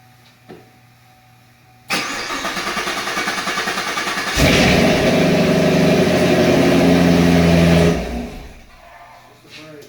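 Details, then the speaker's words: 2019 Camaro SS, 6.2 L LT1 V8, after stuck-injector repair: long crank of about two seconds, then catches into a smooth even idle before shutting off; normal start and idle, ran perfect after taking long to start. "Oh, it ran perfect. It just took fucking forever to start up for some reason. Mm-hmm. But it ran good."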